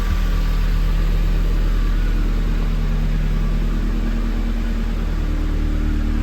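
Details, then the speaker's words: Hotwired NB Miata with 124,000 miles, first run: steady low engine note with regular pulse, rising and settling smoothly with throttle, no knocks or ticks; sounds healthy. "well y'all I just hotwired my first car at the age of almost 40 not going to last it sounds pretty"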